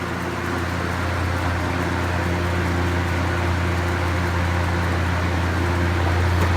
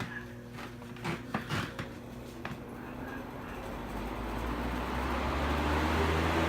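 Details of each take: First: Vintage GE box fan on high windmilling: steady low hum with a faint rhythmic flutter, about three to four beats a second; unexplained noise, possibly the table shaking, source unclear. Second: Vintage GE box fan after cleaning and oiling, running high in reverse: smooth steady whoosh spinning up with no rattle or rubbing, quiet and healthy; noise heard earlier came from another fan behind it.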